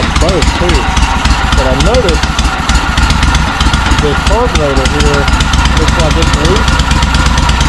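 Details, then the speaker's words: John Deere M665 zero-turn before repair, with the airbox off: rough, uneven chugging that sounds like it runs on one cylinder, intermittently on both, with loud raw puffing. This is a misfire from a loose carburetor, with a suspected bad left exhaust gasket. "I think it might have a bad exhaust gasket on this left side over here, but I'm going to pull these bolts out and we're going to see what I can find back here."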